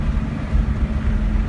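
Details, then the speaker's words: Audi 1.8 turbo on the road after a fix for overboost and cutting out. Deep rumble under load with a steady pull, no misfire or flutter, no engine lights. Normal turbo boost. "let's see if I can get a good blow up noise for you guys sounds like a turbo again I'm going I'm a addicted to that"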